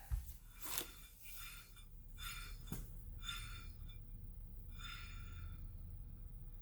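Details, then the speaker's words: 2012 Fiat 500 1.4 SOHC automatic, new rear hub bearing spun by hand: quiet bearing with a soft once-per-turn brake scrape, possibly fluttering pad or warped rotor. "As you can hear, our bearing is in good condition. Scraping is the brake. It's making some noise."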